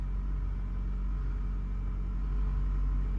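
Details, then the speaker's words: Toyota FR-S (wrecked, at auction, ~164,000 mi) just started: engine started right up, low steady smooth idle, quiet, no knocks or ticks; airbag, check-engine and traction lights on but engine sounds fine; normal idle. "see how the engine sounds probably going to sound fine completely fine quiet started right up"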